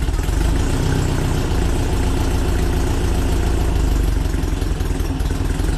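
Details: VW Split Bus air-cooled flat-four upgraded from 1904cc to 1968cc (92 thick walls, SuperStock 37/32 heads, Weber carbs), freshly installed: steady, even low thrum with a regular beat and no knocks or misses; a healthy, smooth idle.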